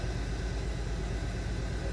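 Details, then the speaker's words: 2015 Hyundai Sonata 2.4 at low idle: uneven, stumbling pulse as cylinder 3 misfires (P0303 set as pending, soon to become check engine); burnt exhaust valve per clip note. "Podemos ver ahí que el código para el código tiene dos fases, tiene pending. Como pueden ver, ya vino un pending."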